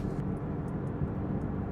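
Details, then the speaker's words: Roughly 23-year-old Toyota sports car with HKS muffler and Magnaflow high-flow cat, windows up at 2,800–3,000 rpm highway cruise: steady low exhaust note with no booming resonance in the cabin. Normal cruise, no drone. "Drone. It's really for having a modified exhaust, and this does This has an HKS muffler as well as a Magnaflow high-flow cat. It's really pretty tame."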